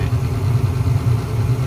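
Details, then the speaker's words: Attic furnace where only one burner lit, with a bad regulator found on the gas valve: low, steady burner roar at an even level, no quiet start building louder; normal flame sound. "Even the flames look better, and if I don't know if you can hear it, but the flame sound is consistent. It's not starting quiet and getting louder and louder."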